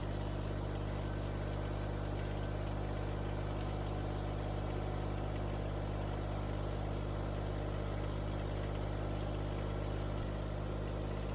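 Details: Kubota BX25 diesel tractor just started after replacing the broken fan, coolant pump, alternator and hydraulics belt, left running to cycle coolant: deep, even rumble with no knocks, misses or squeals; normal idle.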